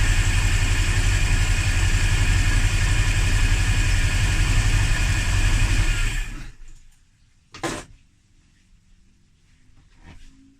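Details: Hard start, fuel pressure checked and good: long steady cranking at about four beats a second for six seconds with no catch, then stops; owner suspects spark or timing, not confirmed.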